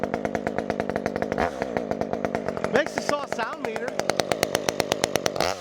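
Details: Stihl MS201 chainsaw with new West Coast Saw performance muffler, warming up; crisp, rapid two-stroke bark with sharp raspy exhaust crackle, settling to a steady, healthy run.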